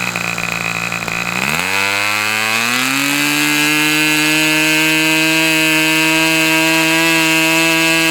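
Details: Customer's Fox twin-cylinder glow engine on probably its final run of the day, outdoors as it cools off: sharp buzz climbs quickly to high revs and holds a steady, even scream with no misses; clean-running twin at high rpm.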